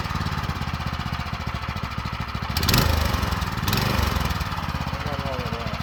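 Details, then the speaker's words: Used go-kart with a small single-cylinder engine that has compression, possibly run without oil (owner feared a bottom-end bearing), with likely fuel in the oil: quick, even popping beat with no knock or rattle; sounds healthy. "all right so the it all works it's not throwing the chain it's not it doesn't sound bad"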